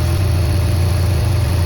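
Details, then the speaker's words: BMW E46 electric radiator fan running at full speed via added manual override switch with engine running: steady heavy whoosh over smooth low idle hum, no flutter or rub; fan works, goes silent when switched off. "Okay. You hear? It's running! It works! Awesome! Very awesome!"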